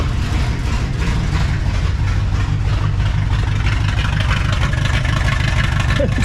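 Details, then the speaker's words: 1960 Pontiac Ventura with a 389 2-barrel and automatic, parked 24 years: a loud, choppy, loping idle with misses, only marginally better, "like a 7-cylinder tractor," sounds cammed but isn't; rough lopey idle, cause not found. "it's uh it's marginally better just marginally it's still plenty loud it sounds like a 7 cylinder tractor"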